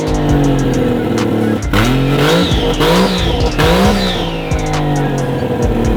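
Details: Toyota 1JZ-GTE swapped into a Lexus IS300, running after wiring troubleshooting; only the last part of throttle travel responds (owner suspects throttle relearn needed). Engine fires and revs cleanly, rising and falling with throttle, settling to steady idle; normal running.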